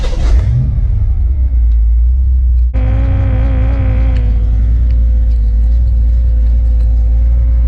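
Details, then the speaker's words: Foxbody Mustang budget audio system with double-grounded radio and amps grounded at seatbelt mounts, engine started and idling: steady whine through the speakers with pitch following engine speed; engine noise whine in car audio, cause unknown. "yeah we have some serious engine noise coming through so we actually have a lot of engine noise that's coming through this radio don't know what the problem with it is honestly everything is grounded great"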